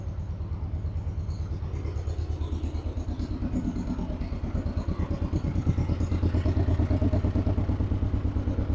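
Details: 1958 John Deere 420W two-cylinder, just jump-started after about a year unused; it stumbled slightly while the jumper cables were unhooked. A slow, deep, steady thump of about two beats a second that firms up as it warms. Runs fine.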